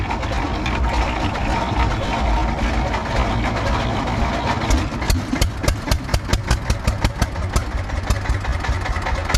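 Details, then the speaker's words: Russian DT-14 tractor single-cylinder, no battery, hand-cranked cold start after sitting 10 years, following a water service and oil check: catches easily and settles into a steady, evenly spaced thump at slow idle. "കാരണം എന്താണെന്ന് വെച്ച് കഴിഞ്ഞാൽ സിമ്പിളായിട്ട് വണ്ടി സ്റ്റാർട്ടായി."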